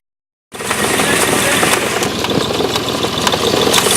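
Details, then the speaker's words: Hyundai Xcent/Grand i10 engine at idle then accelerating: fast uneven "kat-kat" light rattle over the running note, worsening with acceleration; timing chain rattle, later fixed by replacing timing chain, hydraulic tensioner and high-pressure pump sprocket. "आप देख सकते हैं, सुन सकते हैं कि ये cut cut cut cut करके एक नॉइज़ हो रहा है।"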